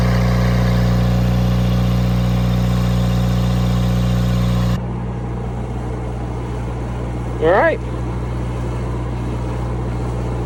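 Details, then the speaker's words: Cummins four-cylinder marine generator on a 94' Broward yacht, run after replacing fouled injectors that had caused smoking and a sheen on the water: steady, even diesel drone with no miss, knock or hunting; normal running, no smoke. "Batten that down, and then we'll fire up the old girl and see what happens. Hopefully, it runs nicely."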